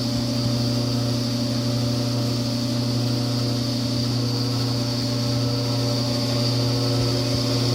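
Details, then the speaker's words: Frigidaire-built Kenmore electric dryer, top off, a few minutes into a heat cycle: steady low hum with buzzing edge that grows louder as it warms; quiet on air fluff, traced to the blower wheel. "the dryer is starting to make humming noise and a little bit of a buzzing noise and it does get louder than this"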